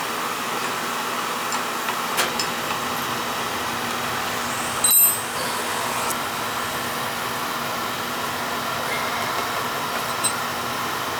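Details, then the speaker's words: Older Beckett oil burner that was tripping safety and not firing, restarted after clearing an oil tank blockage and purging air, FF jumped out: steady even roar with one brief pop midway; lights and burns smoothly. "let me start this up I'm going to jump the FF out so the thing don't trip out on safety you get a good flow there we go"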